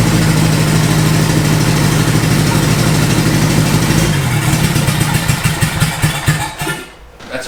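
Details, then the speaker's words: Boosted Honda Integra first start-up, fuel sat in tank for years, known vacuum leak being blocked off; uneven, stumbling engine beat with loping pulse that sags and dies out; rough running from vacuum leak. "uh we obviously know that it's got a vacuum leak so we're just kind of going to block off all"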